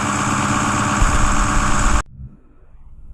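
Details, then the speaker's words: 2010 Ford F-250 6.4 Powerstroke diesel, replacement engine, cold out so it kicks into high idle mode to warm up faster: steady, low, regular throb for about two seconds; normal diesel idle. "Because obviously it's cold out, so it's gonna kick itself in the high idle mode. That way it allows the engine to warm up a little quicker."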